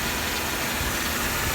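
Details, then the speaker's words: 2004 Mercedes-Benz E320 W211, 3.2 V6, 208k miles, no warning lights: steady idle with no misses, knocks or ticks under outside hiss; runs really well. "Pop the hood. She runs good. No warning lights on. Runs really well."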